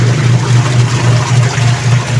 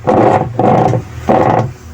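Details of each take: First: Dowell washing machine after gearcase replacement for grinding noise when the pulsator turned: steady low drone swelling and fading evenly with agitation over sloshing water, no grinding or knocking, spinning strongly with no leaks; normal wash agitation. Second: Dowell washing machine, unplugged, pulsator turned by hand: three rough grinding bursts from a worn gear case, which is to be replaced.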